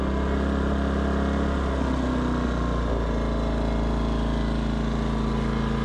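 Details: Westinghouse iGen 2500 inverter generator, which previously would not start and then surged at idle, after being cleaned up and fixed. Started on choke, it holds a steady, even drone with no surging or missed beats; running smoothly.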